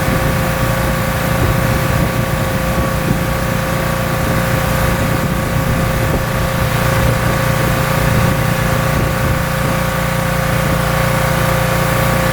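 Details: Pressure washer small engine, owner's first rebuild two years earlier, manifold still leaking (taped), running under pump load while washing car: firm even drone with steady whine on top, no hunting or misses; runs really well.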